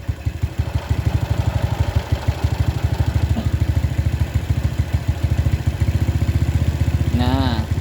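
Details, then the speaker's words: Carbureted Suzuki Smash New single-cylinder motorcycle with very high fuel consumption and a blackened spark plug, during air-screw and idle adjustment: the idle thumps about three times a second, slightly lumpy and uneven, as the mixture is still set too rich. "ya kalau masih suaranya agak apa ya agak keborosan kita putar kembali ya"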